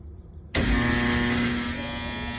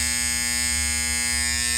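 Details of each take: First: HVAC blower fan motor after rewiring power through the inverter contactor instead of the bypass contactor: snaps on and settles into a clean, steady hum with a faint whir; the contactor vibrates; normal blower motor running. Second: HVAC fan bypass contactor pulled in on a unit whose inverter had failed: a steady, harsh, fixed-pitch electrical buzz with no chatter. The contactor is vibrating and bad and needs replacing.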